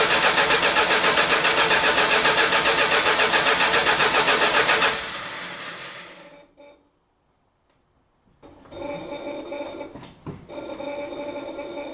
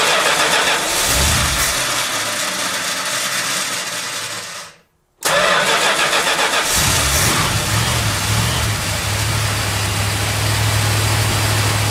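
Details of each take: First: 1971 Chrysler New Yorker after new tank, sender, fuel pump and AVS2 carburetor, first start after five months stored: even cranking near four beats a second for five seconds, never catches; fuel starvation with the carburetor fuel bowl dry. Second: 1971 Chrysler New Yorker 440 V8 after fuel system overhaul (new tank, sender, pump, AVS2 carburettor), parked months: cranks, stumbles, catches on second try, settles to steady fast choke idle, cold; running smooth.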